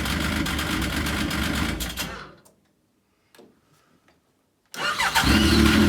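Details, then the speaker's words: Yamaha RS Viking snowmobile after carburetor cleaning for suspected carb issue and rough running after summer: shuts off, then fires straight up and settles into a steady, even idle; sounds right. "Perfect. That's what it should sound like. None of this when you fire it up."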